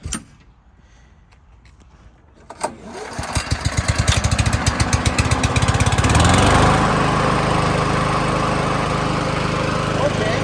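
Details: Honda GCV160 lawn mower after swapping to an aftermarket Amazon carburetor, choke on: quiet, then it catches on the pull and settles into a steady, even chug that keeps building; runs clean.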